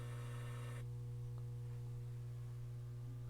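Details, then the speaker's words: Pioneer SX-1280 receiver at power-on, auxiliary input selected, heard through monitor speakers: loud steady low mains-frequency buzz, unchanged; owner suspects a noisy transformer or transistor. "and that was a bad noise and I have these monitor speakers on so that sound you heard was a like a buzzing sound even though I have the auxiliary so we might have a noisy Transformer or transistor somewhere"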